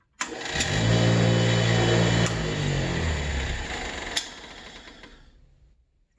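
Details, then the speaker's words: Nearly 50-year-old bench grinder from the 1970s after bearing replacement, run with one wheel fitted. Steady motor hum with a slight wobble, about four pulses a second, then coast-down. The wheel is not perfectly round but vibrates less than with the buffing wheel. "one's not perfectly round either but it's not as bad as it was with a buffing wheel on there"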